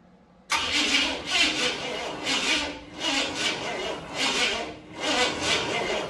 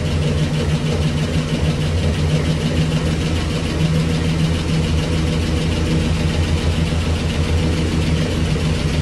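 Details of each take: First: 1965 Cadillac Coupe DeVille sitting 15 years, first start attempt with spark tester on: sluggish labored cranking, about one heavy turnover per second, no catch; slow cranking. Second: 1965 Cadillac Coupe DeVille V8 sitting 15 years, first start on hand-fed fuel, Flowmaster mufflers: deep, steady burble at idle, even low rumble, no knocks or ticks; sounds healthy, possible small exhaust leak suspected.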